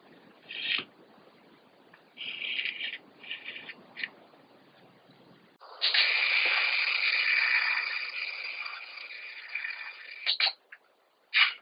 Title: Heckservo / Tail servo Savöx 1257 MG knarzt / creaking sound